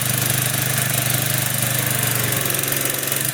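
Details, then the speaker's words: Used consumer pressure washer small single-cylinder engine with fresh oil, water connected: steady even chuff, no knocking or misses; normal running. "There you go. Yeah, and fresh oil really helps."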